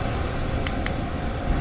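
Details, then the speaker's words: Vevor 8 kW 12 V diesel air heater running outside, exhaust steaming: a steady low blower roar with faint sharp ticks from the fuel pump. Normal running. "but it's doing something you can hear the fuel pump running"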